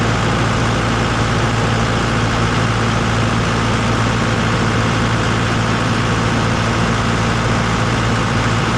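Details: Diesel after a service repair, let run to confirm the fix: settles into a deep, steady idle with no knocks or misses over nine seconds. Running normally.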